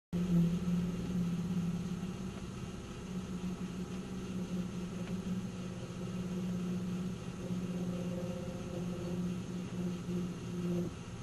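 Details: '97 Nissan Maxima: deep, steady droning resonance hum at idle that goes away with a little gas and returns at idle; cause unknown to owner.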